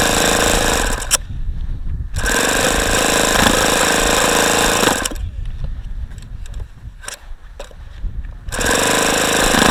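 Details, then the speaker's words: ASP FS65 glow engine, 29°F cold day, 5% nitro, OS F plug, primed with lighter fluid, glow plug glowing; rapid even starter cranking about four turns a second, strange exhaust sounds, never catches; cold no-start. "it's got some very strange sounds coming out of the exhaust sounds like it's wanting to fire"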